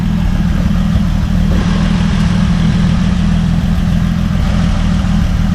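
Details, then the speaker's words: 1950 Dodge Meadowbrook L-head flathead during restoration, radiator being filled with water, good oil pressure, hose warming, after rewiring connections: low smooth even idle, no knocks, misses or whines; engine sounds healthy. "It's watering. And slowly. I mean, it sounds pretty good."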